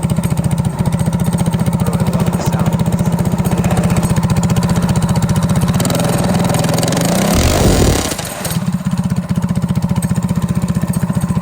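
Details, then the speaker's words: Go-kart single-cylinder engine, freshly remounted and started with its crank-up starter: crisp, regular exhaust pulses around 220 a minute, a brief rev, then back to an even idle, running healthy. "This is one of them crank up starters, and then we'll fire it. This thing sounds pretty darn good."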